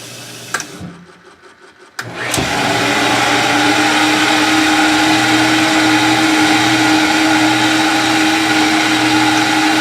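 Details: Maytag WU482 dishwasher, after fitting new lubricated belt on cleaned pulleys: steady motor hum, smooth even whir, no knocking or squeal; pump running normally.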